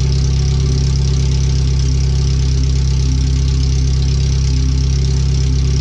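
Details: First startup after new header, fuel filter and differential work, O2 sensors relocated, wideband bung added: very loud, deep, even barking idle with hard pulsing note and no muffling, open header only; computer read 5–7% rich at idle in closed loop.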